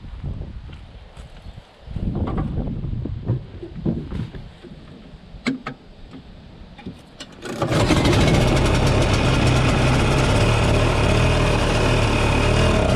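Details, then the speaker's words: 1967 Ski-Doo Alpine twin-track snowmobile, two-stroke, revived after years sitting: a few rattling pulls, then catches into a strong, even buzzing run; sounds awesome and healthy. "dude. That thing sounds awesome, >> dude. It actually when it when you let it you get going."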